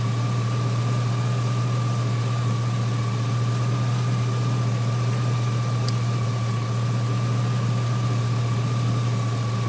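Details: 2003 GMC Sierra SLE, 4.8 L V8, idling after fitting a used 105 A alternator (14.2 V at alternator): steady, even low hum with no misses, knocks or surging; normal idle.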